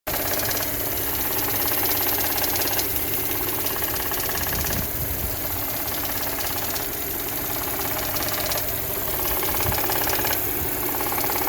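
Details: 2011 Audi S4 petrol engine idling steadily with a light, irregular intermittent ticking, days after PCV replacement, oil and coolant change; compression about 180 per cylinder, no check-engine light; owner hears it may be intake flappers.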